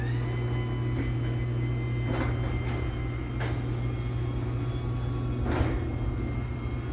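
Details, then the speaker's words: LiftMaster 84505R belt-drive T-rail garage door opener with new-style sensors: steady motor hum with light clicks as the door travels, no grinding; runs fine but noticeably louder than the first-gen 8550. "runs so it's definitely a good bit louder than that first gen 8550 was"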